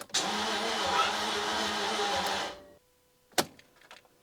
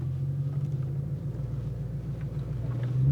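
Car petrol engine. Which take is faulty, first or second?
first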